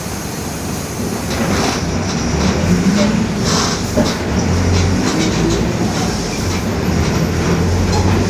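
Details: 2021 Marcopolo Torino S bus on Mercedes-Benz OF-1721 BlueTec 5 chassis, urban route, driving: under the diesel drone and road noise a low growl rises and falls with road speed; differential growling.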